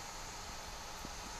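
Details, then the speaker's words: 3D printer with replacement cooling fan costing about 6 euros instead of stock fan, far quieter than before: soft even airy hiss, no whine, buzz or rattle; fan runs quietly and smoothly. "coûte 6 euros franchement le bruit il a rien à voir à tout à l'heure donc vous pouvez même l'entendre"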